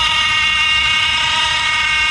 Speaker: Electronic thermostat makes abnormal noise.